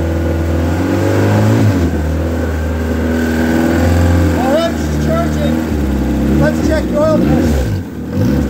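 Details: Ex-race Neon four-cylinder on a floor test stand, warming up: even, steady run with smooth revving and no knocks or ticks; no coolant bubbles, compression 180/180/175/180 psi, great oil pressure, a healthy short block.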